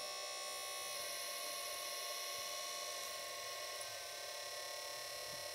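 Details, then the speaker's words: Battery charger just switched on while charging a pack of up to 20 cells on an Ant smart BMS; its cooling fan makes a steady, fairly high-pitched whirring noise at startup. "Hop, le chargeur vient de s'enclencher. Donc mon ventilateur fait du bruit au démarrage."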